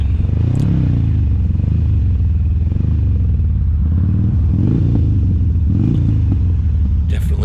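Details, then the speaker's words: 2007 Harley-Davidson Sportster 1200 V-twin riding on the road, deep rumble over wind, lumpy as the front cylinder cuts in and out intermittently; owner suspects an electronic fault, not mechanical. "and as you can hear there it's kind of coming in and out it'll work for a little bit and then it doesn't just goes dead that kind of leads me to believe that it's something electronic definitely not a mechanical thing"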